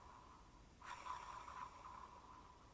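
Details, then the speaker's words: Unlubricated ceramic bearing in a scroll dial spinning with a quiet dry whirr, about as loud as a normal scroll wheel, with slight rattle from ball-to-race clearance; normal for these bearings. "They are extremely spinny because they run without lubrication of any kind. This does mean they make some noise during"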